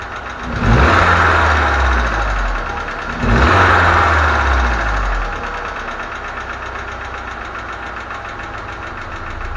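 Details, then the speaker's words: ZMZ 409 petrol engine idling: light, quick tapping over the hum from a knocking hydraulic lifter; valve cover to be removed to find and fix the cause. "Значит, застучал гидрокомпенсатор. Буду разбирать, смотреть, разбираться, в чём дело, и устранять виновника шума."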